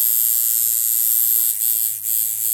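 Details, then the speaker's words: Coil tattoo machine set to a long stroke, running at 90 Hz and 36% duty: steady high-pitched buzz that sags briefly under load as the voltage drops to 7.5 then 7 volts; bogging from too-low voltage. "So you can hear it's starting to get a little bit of a bog. And I can actually kind of use it, but not really. So we go down to 7 volts. Let me see. So at 7 it's starting to bog."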